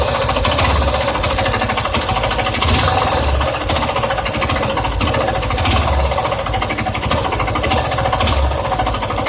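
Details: Yamaha Ténéré 250 single-cylinder at idle: busy metallic top-end rattle; owner wonders whether valves or timing chain, tensioner or bearings also suspected; cause unconfirmed.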